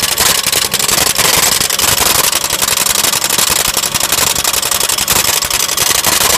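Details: Lexus petrol car idling with a loud, bright metallic rattle, roughly three to four clatters a second; cause unknown.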